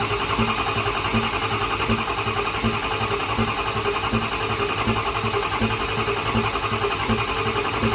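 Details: Diesel truck, first fire-up with no air filter fitted: steady cranking with a regular pop about every three-quarters of a second; intake popping while cranking before fuel arrives.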